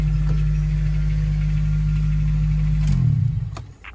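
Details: Honda Civic Type R EP3 K20A after IAAV delete (K-Tuned kit) to cure fluctuating idle that IACV cleaning failed to fix: steady even low hum at idle, no hunting or stumble before shutoff; idle settled.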